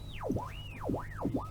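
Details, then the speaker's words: Valve radio, classic fault: sweeping whistles up and down in pitch as the dial is tuned; IF stage oscillating from a failed old decoupling capacitor. "right another pipe e75 classic fault here that you're tuning in gestation I only made the sound effects that I don't have to know"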